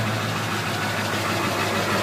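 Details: 1999 Ford F250 Super Duty 7.3 Powerstroke diesel, 254,972 miles, on Rotella T6 5W40, just started: even idle with steady low drone and fine clatter, no misses or puffing; runs great, no blow-by.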